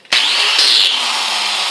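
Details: Angle grinder starting and running free with a loud, harsh, gritty high-pitched roar; inspection found a worn bearing, fixed by bearing replacement and preventive maintenance.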